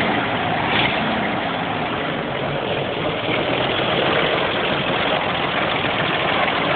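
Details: CCKW truck engine at idle: rough running with a dull, uneven knock a few times a second under the steady drone; engine knock, cause unknown.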